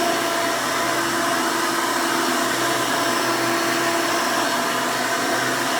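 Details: 1992 Hoover Elite II Total System Performance 650 upright vacuum (U4689-910, square hood, on-board flexible hose), motor untouched since purchase, running: loud, steady rushing hum with no surging, rattles or knocks; runs smooth and healthy.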